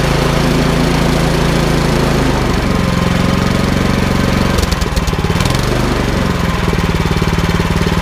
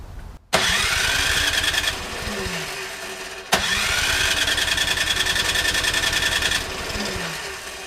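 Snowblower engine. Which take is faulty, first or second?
second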